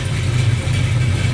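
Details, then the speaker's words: Rebuilt 366 cubic inch big block Chevy running on an engine test stand, out of the car: deep, steady idle rumble with even firing beat, no tapping or misfire; healthy engine. "You got to love it when these old big blockers fire up like that."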